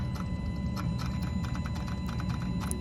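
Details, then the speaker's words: 2020 Kenworth T880 Cummins X15 in intermittent level 1 derate with a bad harness: repeated sharp clicking in uneven bursts over a low engine hum as the VGT turbo actuator strains, gear inside seemingly seized; replacement actuator on the way. "it's trying to do something it's like the gear in inside is seized up and it doesn't like it"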